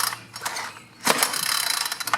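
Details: Craftsman 4-cycle string trimmer, long stored, cracked primer bulb, missing fuel line, gummy tank: dry ratcheting clicks and gritty, uneven pull with no firing; rust inside suspected, unconfirmed.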